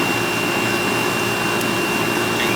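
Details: Older outdoor AC condenser unit, about 25 years old, that had not been running: steady fan rush, constant electrical hum and faint high whine, no clicking or buzzing; runs normally.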